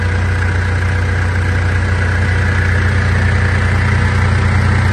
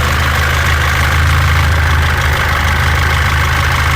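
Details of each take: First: 2014 Mitsubishi L200 Triton 3.2 diesel, 254,000 km, after replacing the worn timing chain kit (noise had grown as the engine warmed): steady, even idle with a smooth low rumble, no knocking or rattling; noise gone. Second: 2014 Mitsubishi L200 Triton 3.2 diesel, 254,000 km, noise worse when warm: idle clatter with an intermittent loose metallic rattle about three to four a second from the worn timing chain, before chain kit replacement.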